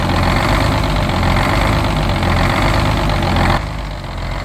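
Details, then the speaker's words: 1971 GMC 9500 with Detroit Diesel 6-71 two-stroke, revived after 26 years sitting, after a tune-up: deep idle with an uneven, rolling beat that swells and sags. Lumpy, loping idle from the wrong (long) idle return spring. "so you hear it kind of loping like that it's because we uh have the long wrong idle return spring in it"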